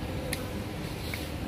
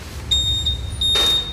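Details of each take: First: Honda Vario 150 keyless with no electrical power, after cleaning and tightening the standby-current connector: over a quiet room a clear high beep sounds once long then twice short; the keyless system has power again. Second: Honda Vario 150 keyless scooter, ignition switched on with the 25A main fuse deliberately pulled. One steady high beep sounds for over a second, but all other electrics stay dead, reproducing the owner's fault.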